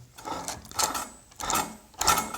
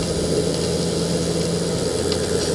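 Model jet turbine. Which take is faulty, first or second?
first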